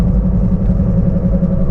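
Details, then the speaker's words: 2011 Toyota Prius driving around 15–16 mph: steady low drone and rumble that increases when turning left; wheel bearing noise, pretty sure from test, side uncertain. "I'm pretty sure this is bearing because 80 of this kind of test appearing"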